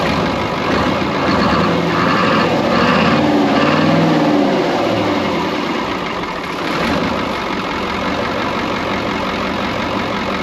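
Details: Brockway 358 truck, Cummins 555 V8 diesel, after valve adjustment and tightening loose injectors and intake valves: steady even idle, smooth low rumble, no top-end tapping; healthy, much better than before.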